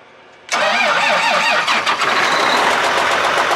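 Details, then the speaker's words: 9560 tractor diesel, just back from repair, idles with a loose, uneven tapping over the clatter; engine knocking in the valve train, dealer mechanic coming to check. "okay so apparently the 9560 that we just got back is making noises that it's not supposed to"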